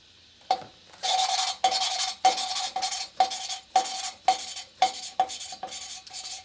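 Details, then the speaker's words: Lapping a valve into its seat on a 1961 Harley XLCH Sportster engine with medium-fine (180 or 220 grit) compound: gritty back-and-forth rasping about two strokes a second, still sharp as the compound cuts high spots; over-lapping leaves a low spot. "you hear the luffing compound all down you're done you can keep reading if you keep a lop and what it does it takes your valve and puts a nine low spot in it which is not good"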